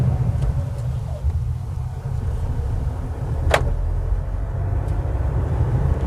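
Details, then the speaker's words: Manual-transmission pickup truck in 3rd gear at too low a speed: deep, labored low rumble and knocking with no rise in pitch, the truck barely pulling; engine lugging in too high a gear. "ได้ยินมั้ยค่ะกึกๆๆๆๆๆๆค่ะเนี่ยๆๆๆแล้วมันจะไม่ค่อยไป"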